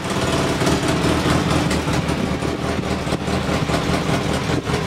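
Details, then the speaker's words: Polaris Sportsman 600 ATV after a chewed-up wire was pushed back together and fastened: a steady, even single-cylinder idle with no misses, pops or surging, a normal idle, though still a little high versus the roughly 1100 rpm thought to be the target. "and it's working carb on still idling a little high but uh i'll have to tweak that"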